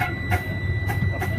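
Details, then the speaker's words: Tractor-trailer pre-trip air brake test, air pressure being bled down with the diesel idling: steady high unbroken buzz at about 50 psi as the low air pressure warning buzzer and light come on. "and about 50 psi you'll hear that that buzzer the light will come on give me a warning"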